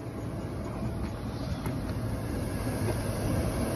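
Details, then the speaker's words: 2001 Chevy Suburban idling after alternator replacement, charging at a little over 14 volts: steady, even low rumble with no knocks, squeals or whine; engine and charging system sound healthy, much quieter than before. "Much better. She was running a lot funkier than this, trust me. Shut right off. And she's much quieter."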